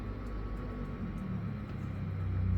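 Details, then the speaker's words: Nearly two-year-old split-type aircon indoor unit, weeks after a pull-down pressure-wash cleaning: steady low whirring hum over the airflow where only wind was heard before; worn blower fan motor bearing. "Dapat kasi yung wind lang yung naririnig namin like before."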